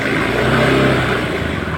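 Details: Honda Scoopy scooter after repairing a very rough, noisy engine that would barely run, started after reassembly: the engine revs up and settles with an even, smooth exhaust note and no knocking or ticking; it runs healthy.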